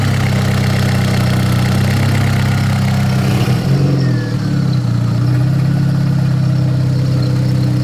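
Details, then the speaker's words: Big-turbo VW GTI after a rebuild, on jack stands, on a reflashed spare ECU: deep, steady, even idle with no knocks or misses, apart from a brief dip. Rich air-fuel ratio, decent vacuum, oil pressure good; normal idle. "there you have it beat up gang big turbo GTI runs"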